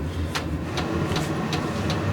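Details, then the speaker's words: VEVOR 8 kW Chinese diesel heater, cleaned after gumming up from burning waste motor oil (E08 error): steady burner-and-fan roar with even fuel-pump tick about every 0.4 s; exhaust hot, firing normally. "fan is running good and this uh metal part is warming up so that telling me I got some fire inside the exhaust"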